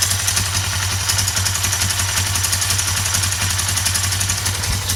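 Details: 2008 Suzuki GS500 idling with a sharp metallic tick, about four per second, over the exhaust beat. Appeared after the valve shims were replaced, and the throttle also hangs despite lubed, adjusted cables. Cause unclear.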